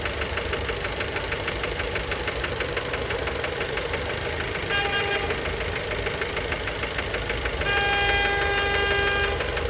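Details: Fiat Bravo 2 1.4 T-Jet 150 HP, 215,000 km, after recent maintenance, idle recorded close to the engine: sharp, regular metallic knock about three per second; worn rod bearings, cause unknown, car scrapped.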